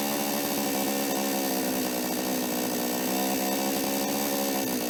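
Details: Toyama TCS46H chainsaw after carburetor cleaning and adjustment (it previously started but bogged and died when revved): smooth, even two-stroke buzz with no stumbling or dying out; normal running after repair.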